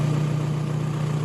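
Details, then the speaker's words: VW ALH TDI (1999.5–2003) after a timing belt job and pump timing check, with the VCDS session just closed: low, even diesel idle with a steady pitch and smooth regular pulse, no rattle; owner says it runs notably differently. "Runs differently again, notably differently."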